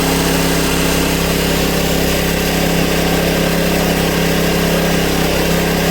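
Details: Honda EB1400X generator that previously wouldn't put out power, now making power: steady, even buzz from the single-cylinder engine holding constant governed speed, no hunting or surging, 112 volts at about 60–65 hertz; healthy running.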